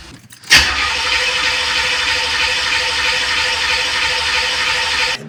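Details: 1986 Corvette C4, rebuilt L98 TPI V8, about 132,000 miles, refusing to restart after heat soak: starter spins evenly about five seconds, engine never fires. Crank, no start; cause suspected, not confirmed.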